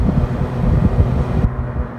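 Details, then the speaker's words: Six-door freezer condensing unit just restarted after replacing a crusty contactor: steady low compressor hum with fan rush, even, no knocks or rattles; running normally. "just turned her back on she's up and running and we'll run some checks on her here"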